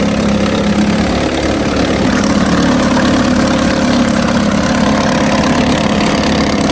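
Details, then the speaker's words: 1950 Johnson HD 25 2.5 hp two-stroke outboard, first start after long disuse, carburetor adjusted: steady, even buzz without stumbling or misfires, pumping water well. Won't idle at the very lowest, points to be cleaned later; otherwise runs well. "I think that's going to conclude today's video. This thing runs pretty good."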